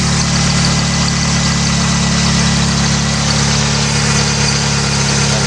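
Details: Mitsubishi Eclipse petrol engine idling while warming up after alternator bracket fix, belt now lined up with the harmonic balancer: smooth, even idle with a steady low rumble, no belt squeal or chirp; normal idle.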